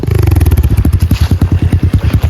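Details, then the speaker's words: 1985 Yamaha XJ700, sat for a while in cold weather: a lumpy, lopey idle with uneven beats and gaps between firing pulses. Running on one cylinder. "Still sounds like a single cylinder."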